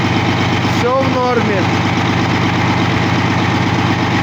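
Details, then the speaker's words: Caterpillar C13 diesel on its first start after a major overhaul: steady, even idle with a smooth firing beat and no knocks or misses; oil pressure 3, fuel system pressure 4.3, all normal. "Тестируем двигатель C13 Caterpillar после капремонта. Так, давление масла 3 очка, это хорошо."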